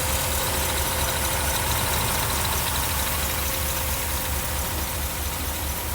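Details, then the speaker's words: 1982 Mercedes 380SL first start after installing new pre-oiled timing chain tensioner replacing bad one; even, quiet, steady idle with soft rumble, no knocks or ticks; normal idle, best it has sounded. "well she sounds pretty darn good doesn't it wow that's the best that sounded yet"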